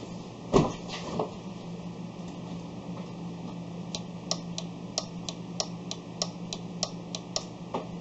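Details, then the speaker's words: Ford Escape no-start: sharp dry clicks about three a second from the relay area, no cranking; relays work, starter suspected. "I'm gonna take that I can hear a clicking from out here I'm not sure which one it is"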